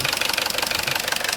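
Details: Vauxhall Corsa C at steady idle after a new timing chain kit, which made no difference: sharp, regular tapping about thirteen times a second from the rear of the engine; chain and top-end noise gone, source not found.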